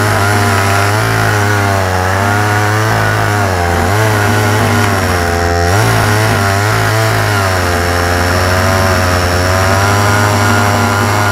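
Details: Homelite Super Mini chainsaw, Canadian-built, probably early 1980s, after new old stock oil pump fitted, chain unsharpened and possibly dull: high buzzing two-stroke note held steady with slight wavering revs, running clean and even with no misfire or stumble.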